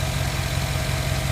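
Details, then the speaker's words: 2009 Chevy Silverado at idle after fixing a whine first blamed on the power steering pump, tracked down with a hose used as a stethoscope: smooth, even idle with no whine or squeal. "well people I don't hear no power steering wine no more"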